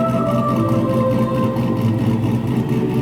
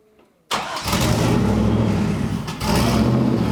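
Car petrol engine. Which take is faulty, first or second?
second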